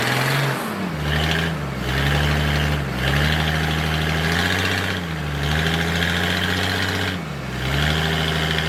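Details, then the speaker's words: Military surplus forklift with carburetor, running after the fuel pump was bypassed and the fuel line run direct to the carburetor; even engine note rising and falling with throttle, no knocks or misses; it runs and drives normally. "all righty it's a good day it moves well it was a successful day I got it out ran it it drives"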